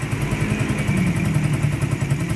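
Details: Raider 150 single with a loose-compression complaint, after engine rebuild and rejetting: even, quick low putter holding steady with no knock or tapping on top; runs smooth and quiet, normal idle.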